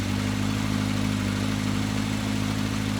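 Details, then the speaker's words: 1983 Kawasaki KZ750 Spectre, stock four-cylinder, carbs refitted and being tuned, old float bowl gaskets not leaking: starts easily and idles with a low, even, steady hum, no stumbles. "That's pretty good. Now again, I already let the bowls fill and got it fired just so that I could get all 3 bowls filled. I have no leaks, which is frickin' fantastic, especially with old float bowl gaskets."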